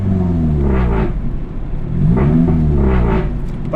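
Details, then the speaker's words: Nissan S13 after new header, test pipe, muffler delete and blast pipes: deep droning exhaust rising and falling with throttle over a buzzy low rattle; exhaust vibrating against the body, steering shaft also hits header when turning. "And then also it's vibrating a bit against something, as you can hear."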